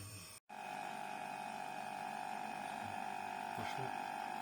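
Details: Toshiba fridge, 15 years old, after repair of a clogged capillary tube (capillary and filter replaced, refrigerant recharged); steady, even mid-pitched compressor hum with no knocks, rattles or cycling, running normally.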